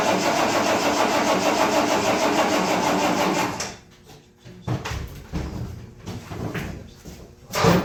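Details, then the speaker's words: Ford Bronco V8, first start after three months sitting, with fuel reaching the filter. The starter cranks evenly for a few seconds without a single fire. The new distributor cap is broken, leaving no start. "well it looks like I busted the distributor cap as well I didn't realize that sucks because it was brand new"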